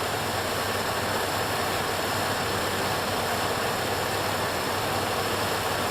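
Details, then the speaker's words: Healthy, smooth settling idle on a 1968 Buick Electra 225 V8 just after a full ACES Killshot 2 EFI install; even steady hum, no knocks, misses or surges, fuel pressure 60 psi, no fuel leaks. "At least this one's quiet. My neighbors won't be pissed. Hear that? It's smoothing. Doing its thing."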